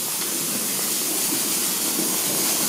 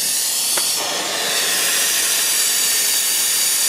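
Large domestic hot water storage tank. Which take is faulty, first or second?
first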